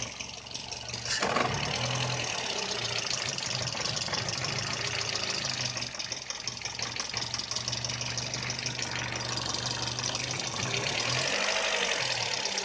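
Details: VW Polo 6N at idle: uneven, lumpy idle with an irregular stumble and shake in the engine note; rough idle, cause suspected but not confirmed and owner unable to solve it.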